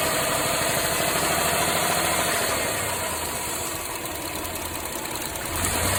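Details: Mitsubishi Montero Sport 6G72 V6 at idle, with a light, fairly regular knock that comes and goes and gets more frequent as revs rise. Oil pressure is stable and there is no smoke; owner asks whether it is a lifter, piston pin or bearing. Intermittent engine knock.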